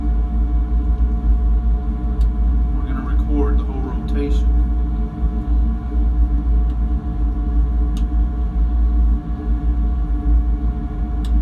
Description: Clicks at 0:10, 0:15, 0:19, and 0:52 on gear reducer